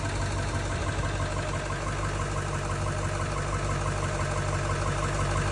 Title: Injector or engine knock? 2000 ford 7.3 powerstroke. (Opinions needed!)